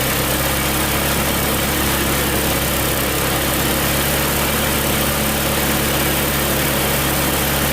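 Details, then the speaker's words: Tecumseh snowblower engine after a carb clean runs fast and steady, revving high even at its lowest setting; the governor is not working because its linkage was hooked into the wrong carburetor hole. "well definitely a Reb's High that's really the lowest it goes from that Governor's spring maybe"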